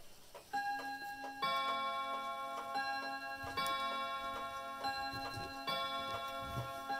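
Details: Herschede bim-bam mantel clock on three chime rods: ticking with uneven spacing between tick and tock plus bim-bam chimes ringing; the pendulum is out of beat, which the owner thinks he can probably fix.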